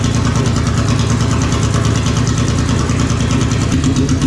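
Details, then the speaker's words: R36-swapped Mk2 Jetta VR6, first start of the replacement engine after the old one's crankshaft failed: catches and holds a steady deep idle with a busy rapid firing beat, no knocks; running after the swap. "we're going to try the first start here"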